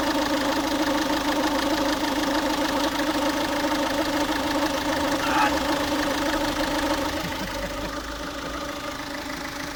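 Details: Ford Focus 1.6 TDCi diesel at warm idle: loose, uneven ticking knock about twice a second over the hum, noise only when the engine is warm; cause unknown, owner asking for opinions.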